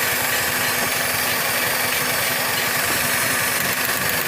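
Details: Maruti Suzuki WagonR K-series CNG, runs fine on petrol but misfires on CNG: fast, light ticking over an uneven, misfiring idle. Points to a faulty cylinder 3 CNG injector, diagnosed with an OBD scanner.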